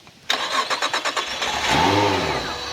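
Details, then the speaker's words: 1994 Grady White Seafarer 226 with Honda 225 four-stroke VTEC V6 outboard, run on a flush hose after fixing a misfire with minivan parts: quick crank, catches cleanly, settles to a steady even car-like idle with no stumble; normal start and idle. "It sounds exactly like a car. Like I said, this is literally a Honda V6 engine."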